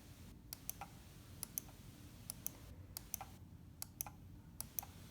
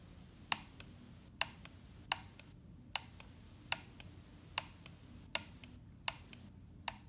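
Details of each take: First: Logitech MX518 mouse right button: six crisp, clean, identical press-and-release clicks, the normal sound, compared against a left button that sounds like it hits something. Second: MX518 mouse: the left button's click sounds duller and muffled, as if hitting something on its way down, unlike the clear, crisp right button.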